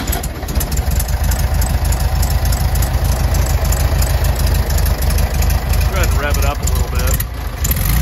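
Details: 1967 VW Beetle with a freshly rebuilt air-cooled flat-four (listed as 1500/1641) and new clutch: steady, even idle with a lumpy low thrum and no knocks or misses. The engine is running healthy.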